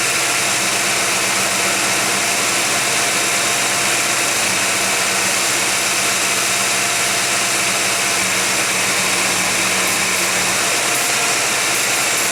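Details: Warmed-up 1991 GMC Jimmy at 55°F ambient holds a fast, steady high idle with a hissy, airy background. A flammable-spray check found no vacuum leak. Owner wonders about a faulty air-fuel or other sensor. Cause undetermined.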